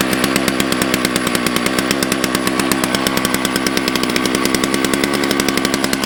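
Crisp, even two-stroke buzz at steady high revs with a clean regular firing beat, no stumbles or rattles; a healthy-running saw.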